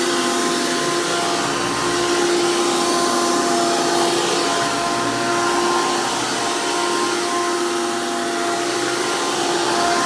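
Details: 2002 Hoover PowerMax II U5246-940 Elite upright vacuum with 12 amp motor and 20-blade fan impeller, after motor work: loud, steady high-pitched whine with constant airflow rush, no rattles or wobble; normal healthy motor and fan.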